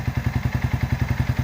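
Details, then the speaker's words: Yamaha Vixion at operating temperature after ECT sensor replacement: steady, even idle at about seven to eight beats a second with no misses or knocks, and the radiator fan now switches on at 100 °C as normal. "Dan di sini, nah, kipas telah berputar teman-teman. Alhasil pergantian sensor ECT-nya berhasil dengan normal."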